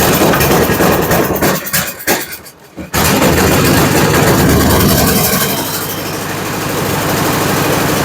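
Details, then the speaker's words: Toro Power Max 826 LE snow blower, formerly surging at full throttle, after replacing with an adjustable carburetor, new fuel line and shutoff valve: catches after brief stumble, runs loud and fairly steady, cold, not yet tuned. "All right, she runs again. Take it outside, let it run for a little bit, let it warm up, and then we'll start turning on it."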